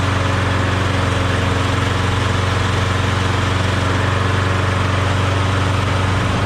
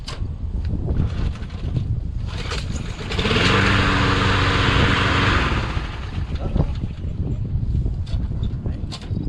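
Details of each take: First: Briggs & Stratton Quantum lawnmower engine swapped onto a Craftsman mower: smooth even drone at steady speed, no hunting, misses or rattles; running well. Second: Craftsman rear self-propelled mower, auto choke, no primer, stored all winter with leftover gas: it fires, runs roughly about two seconds, then stalls. The owner suspects ethanol-spoiled gas, a clog or low compression.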